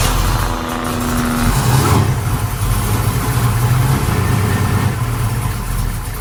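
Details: Project car V8 with new engine, reportedly lumpy cam, new Flowmaster exhaust: loping uneven idle with low exhaust rumble; rough idle, suspected insufficient ignition timing rather than carburettor, not confirmed.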